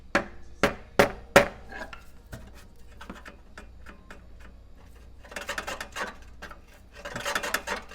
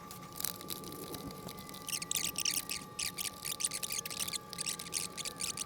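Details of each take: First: 20" California Trimmer reel being seated to a newly installed bed knife with new screws, turned by hand: sharp clicks, then uneven scraping bursts; suspected bent-up bed knife or a high reel blade. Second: 20" California Trimmer reel turned by hand against a newly installed bed knife during seating: light, crisp snipping bursts, even all the way across; proper reel-to-bedknife contact.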